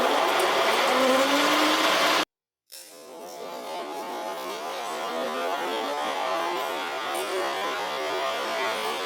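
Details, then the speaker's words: Old Hoover Senior 652A upright vacuum cleaner, motor running with the brush belt just fitted: harsh, gritty roar with no smooth tone underneath; sounds horrible, owner suspects the motor needs new bearings. "I think this machine might need some new bearings. I don't quite know if I want to stick a belt on it to play with that because I mean that does spin. This is sounds horrible."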